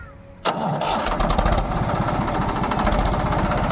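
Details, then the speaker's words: Tractor diesel engine after diesel pump setting/repair, temperature about 60 degrees warm: catches at once into an even, steady diesel beat with no misses or knocks; sound no longer changes after running, takes load properly. "देखो यह आवाज है load भी सही ले रहा load नहीं और थोड़े चलने के बाद इसकी आवाज चेंज हो जाथ अब देखो बिल्कुल चेंज नहीं"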